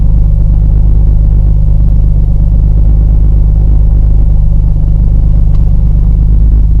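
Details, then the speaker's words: 1990 Nissan 300ZX Twin Turbo Z32 with a used replacement manual gearbox, driving in fifth: steady low rumble with a coarse grinding undertone, regardless of road speed or shift point; synchros or fifth gear itself suspected. "so hopefully you could hear that fifth-year is definitely a problem child it grinds like none other the road speed isn't dependent on it the shift point isn't dependent on it it is just always grinding"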